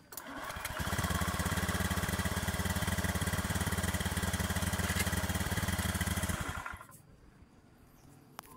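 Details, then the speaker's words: Honda Scoopy scooter that would not start despite new battery and relay, after tightening a loose 12-volt supply connection: starter catches straight away, single-cylinder engine runs evenly, then shuts off cleanly; normal. "Nah oke teman-teman, perhatikan ya, kita kunci kontak kita on. Nah oke, semua normal."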